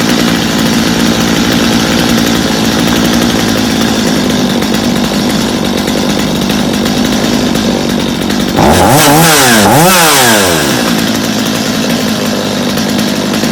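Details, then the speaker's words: Stihl chainsaw reassembled after cleaning dirty muffler, spark plug area and tank of old fuel, little adjusting needed; idles steadily, revs up cleanly twice and settles back without stumbling, running smooth and healthy. "well now seems pretty good to me what do you guys think not too bad for a little bit of work I think we got a good running saw there"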